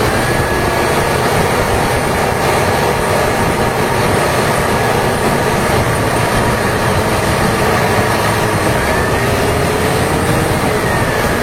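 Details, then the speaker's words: HB365 diesel with an EGR-type turbo at high idle, after fixing a severe turbo rubbing noise by correctly aligning the shaft holes: a steady, even roar with a smooth, constant turbo sound and no rubbing. The turbocharger is normal. "mainkan sekarang tes Nih setelah repair ya suara engjinnya bisa didengerin sendiri sudah tidak ada kendala lagi pada turbonya"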